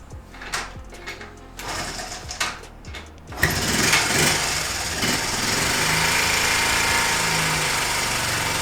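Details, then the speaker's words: 1978 Honda Z50A semi-auto single at first start as an old restoration project: thin, uneven, buzzy idle that sounds weak and gutless; owner says compression is very poor and the engine smokes, rough running. "It's got fuck compression, but it still runs. It's probably absolutely gutless."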